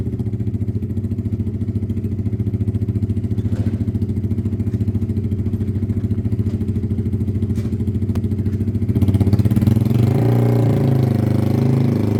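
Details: Weathered motorcycle from Wales on a quick test ride: steady, even low thump, picking up cleanly when blipped and settling back, no knocks or rattles; runs spot on and needs nothing.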